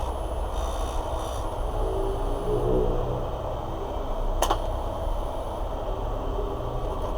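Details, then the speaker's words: Parlux 2800 hair dryer: its small motor runs with a heavy, rough rumble, stiff and not spinning freely, likely from a dry bushing. "tá me parecendo mais gente que esse motor tá meio que pesado para rodar por isso que eu tava fazendo esse barulho tô vendo aqui ó que ele não tá tão livre para rodar né provavelmente embuchamento tá fazendo frente ele tá ressecado"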